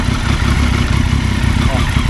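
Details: High-displacement motorcycle after new clutch discs and springs: steady idle with loose metallic chatter, louder at higher revs, vanishing when the clutch lever is pulled; gear rattle suspected from play in primary/secondary gears.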